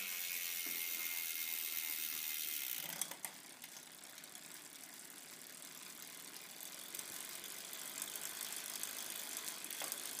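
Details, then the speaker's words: Campagnolo 11-speed drivetrain pedalled in the rear sixth and fourth gears: a fast, even rattling buzz from the cassette, about four clicks a second, louder at speed. The chain gets held and pops off the cogs, and vibration is felt in the crank. "see that one it gets held and pops and when when it speed up is noisier than hell buzz buzz buzz"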